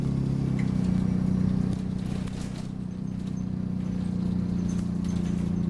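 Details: Refurbished Optare Solo CT Plus bus YJ12GVV on route 309, driving: thin steady squeak with an uneven chirp about four times a second over a low diesel drone; source unknown.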